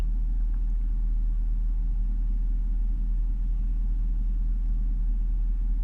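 Warm idle gives a low, uneven rumble with a loping beat instead of a smooth hum; the idle is rough.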